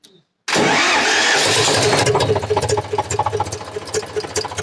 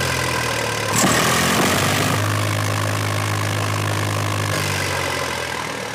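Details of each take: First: Eicher 485 tractor diesel, hard starting with white smoke and rough running: fires and settles into uneven idle with light repeated clatter from the cylinder head, about 220 a minute; tight valve clearance (tappets). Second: Eicher 485 tractor diesel after fixing white smoke and hard starting: even, steady beat at about four per second with no misfire or knocking; it had been sputtering before, now fires evenly and smoke is gone; normal idle.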